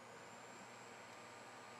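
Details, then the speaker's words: Turnigy Accucell-8150 battery charger cooling fan (35x35x10mm 12V brushless), in discharge mode after oiling the bearing: soft steady airflow hiss with a faint whistle and no rattle, no longer noisy; normal fan running after the fix. "just blows air now it's not noisy I think the fan is much happier"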